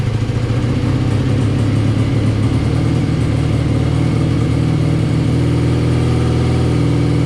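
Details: BMW R65 boxer twin motorcycle (owner thinks 1983 or 1984), on partial choke: an even, steady idle thrum with smooth, consistent firing pulses and no clunks or misses. A healthy idle, though the left side smoked.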